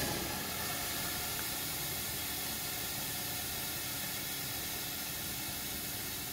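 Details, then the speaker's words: Cryo Fog heavy fog machine shutdown, bottle closed and hose purged with the CO2 control: steady even high hiss with no pulsing or sputter, leftover CO2 venting from the hose; normal purge. "Comme ça, tout le CO2 qui est à l'intérieur va être vidé. Et comme ça, quand vous allez débrancher, là on a maintenant que le CO2 et on l'entend au bruit."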